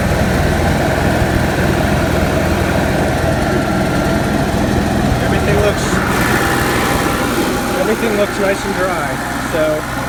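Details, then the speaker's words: Onan Marquis Gold 5500 RV generator after fuel pump replacement (previously stalling), started with the central AC off so there is no load. Steady, even drone holding one pitch without surging or stumbling. Normal running. "so I think I'm ready let's see what happens nice and steady"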